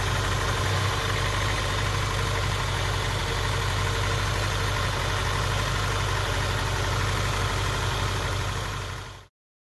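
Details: Honda Prelude with misfire, spark plugs never replaced by owner: low, loping idle with uneven chuffing about four a second, occasional stumbles, shaking and popping from exhaust; one cylinder misfiring, spark plugs suspected.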